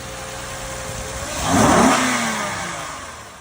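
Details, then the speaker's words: 2014 Honda Pilot, jump-started, with a flat tire: the engine climbs smoothly to a brief rev and settles evenly with no knocks, rattles or squeals, though a little smoke appears at the rear. Normal engine revving. "Turned it off or just revved it up a little bit. Produced a little bit of smoke back here."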